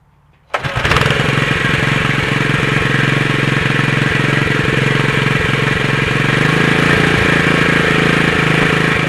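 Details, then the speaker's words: Honda GX120 4 hp single with a new replacement carburetor, running on a newly fitted torch spark plug: it starts quickly and runs fast, but the beat stumbles with skipped pulses. Owner felt this plug was missing; an Excel plug ran better. "I don't know, the other plug seemed like it was missing when it was running, so let's see how this one is."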